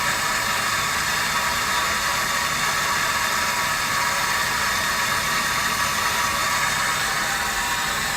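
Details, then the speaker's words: Water meter decibel test with no meter installed, sensor held close to the line: steady, even hiss of water flowing through the pipe, no knocking or tonal hum, about 70 dB; normal flow noise. "so let's just let's just put it close to the line because the flow through the system is going to make a little bit of noise"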